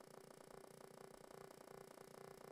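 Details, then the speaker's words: Atari 800 home computer at power-on, no cartridge; quiet, fast, purring buzz pulses evenly for about two and a half seconds then stops, the normal expected startup sound. "you can hear the sound that it's making let's do that again that's what you expect"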